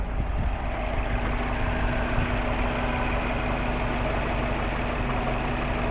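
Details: Warm idle after about 10 minutes of running, after the spark plugs were reinstalled and the coil packs and timing belt checked. Vacuum a steady 20 inHg, oil pressure about 38 psi. Smooth, stable idle with light valvetrain and injector ticking and no low knock; the earlier suspected piston slap seems to be gone.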